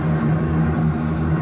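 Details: AAON gas-fired rooftop HVAC unit earlier blowing cold with slight gas smell, possible ignition module issue suspected: burner lights and runs with a steady, even low roar over a constant hum.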